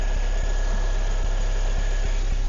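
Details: 2006 Pontiac Solstice after starter and alternator replacement following reversed jump-start cables: steady, even low idle with no knocks, squeals or misfires while battery reads 14.2 V with the jumper box disconnected; idling normally, alternator charging.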